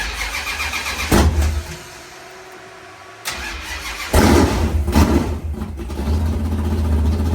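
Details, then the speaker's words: 500ci Mopar big-block V8 built by Indy Cylinder Heads, fired up for the first time in a 1969 Barracuda: a couple of cranks, then it catches, blips and settles into a steady, lumpy idle; float set high; starts and idles fine. "Hey guys, it's idling good."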